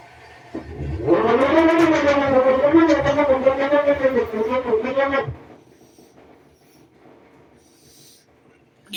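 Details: North House washing machine in final spin: loud wavering squeal about four seconds as drum spins, then near silence; owner suspects slipping drive belt, not confirmed; grinding noise also reported earlier.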